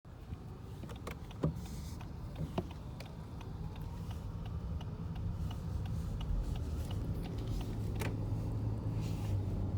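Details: 2019 Lexus ES while driving: irregular light clicks and rattles from inside the cabin over a steady low road rumble; interior rattle.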